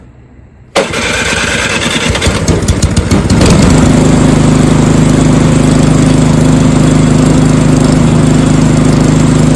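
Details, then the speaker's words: Snowblower small engine after carburetor replacement to cure surging: cranks in choke position, catches after a couple of seconds, then a steady even drone with no hunting or surging; normal running. "So, if you're having problems with your snowb blower uh surging or really any small engine like that, just that carburetor replacement like that, nine times out of 10 will do the trick."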